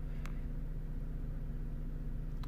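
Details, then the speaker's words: Vauxhall/Opel Astra H 1.8 petrol after repairing a lean-running P0170 fault, warming up from cold start: low, even, smooth idle with no stumbles or shakes, fuel trim settling near minus 10 instead of maxing at 25; normal idle. "he's running absolutely perfect guys no checks no judge ring is running really smooth really good really good"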